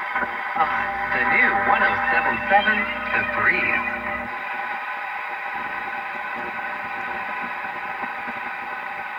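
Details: Philco 46-480 AM/FM/SW antique radio after recap, pre-alignment test on FM using the antenna wire: station audio plays steadily and clearly with no hiss, crackle or fading; good sensitivity, normal FM reception.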